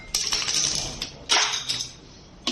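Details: AOVOPRO ES80 electric scooter rear wheel spinning: metallic clinks and a thin high scraping ring as the brake disc rubs the caliper.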